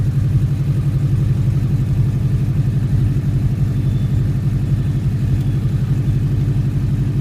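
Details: Subaru on cold start: deep steady knock about three per second that stops after a few seconds; owner suspects piston slap or belt tensioner, unconfirmed; cold start knock.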